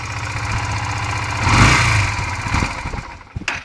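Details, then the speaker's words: 1998 Yamaha Virago 125 that cuts out after 5–10 minutes of riding and restarts after resting, even with a fitted external fuel filter full of fuel: an uneven idle thins into scattered pops and dies. Stalling; the owner is unsure if fuel or electrical. "I fitted an external fuel filter here, just down there, which is filling up with fuel, and it's still cutting out even with that fitted."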